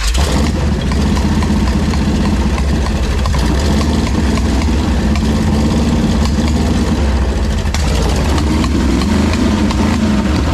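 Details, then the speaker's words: Ex-motorhome Mopar 440 big-block V8 test-run on a stand with headers and old carburetor, before installing in a 1968 Dodge Charger; runs unevenly with occasional sharp pops. Owner unsure, suspects ignition or electrical cause. "not really sure what that popping was but it was probably ignition related or electrical"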